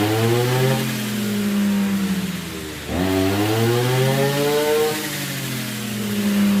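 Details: RBC411 two-stroke brush cutter, after straightening the bent blade tip that caused shaking: revs up, drops back and climbs again cleanly, with no wobble or rattle under throttle; normal running.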